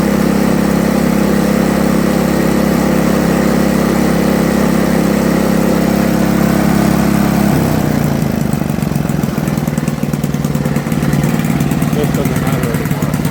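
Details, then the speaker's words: Toro 524 snowblower after tune-up with aftermarket carburetor, now starting on first pull: steady even putter at slightly high idle, note shifts as throttle changes, runs smoothly; normal running. "So first pull, usually I had trouble starting it, now I don't. Throttle, now I can hold my neck."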